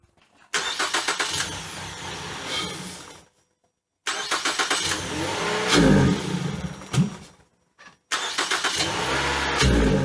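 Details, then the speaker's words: 2012 Ford Fusion that sat three years without a hood, engine full of water, first start after a seized electric throttle body freed up: catches and revs in uneven bursts, rough but running decently. "this car has not run for three years with no hood at it it was full of water still fired up and ran decent"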